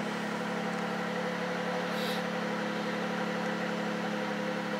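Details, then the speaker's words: V6 Charger idling after fitting a homemade true cold air intake tube: smooth steady mid-pitched drone, louder with the tube, no hiss or stumble, no check engine lights; normal idle. "it's definitely louder with that tube on there let the car calm down a bit all right let's go check it out sounds good no hissing"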